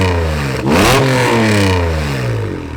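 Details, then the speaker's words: 1991 NSX, junkyard car that sat outside for years, first start: rough, rattly start revving then settling unevenly with loose metallic clatter; suspected exhaust leak or misfire, not confirmed; check engine and TCS lights on. "I don't know if it has a big exhaust leak or maybe it's misfiring, but it kind of sounds like it's rattling kind of weird."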